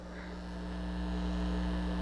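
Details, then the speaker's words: Audio amplifier project that otherwise works fine, with a loose input wire connected to nothing: constant low droning hum with a buzzy edge that gets louder when the wire is touched. Mains hum pickup on an unshielded input. "I do have this wire just hanging off connected to nothing and it picks up the electrical noise and it gets really loud when I touch it."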